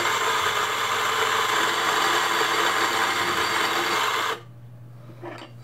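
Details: Zuriga G2 54 mm coffee grinder, pre-adjusted: steady, even gritty whirr of beans being ground at constant pitch, then the motor stops cleanly; working normally.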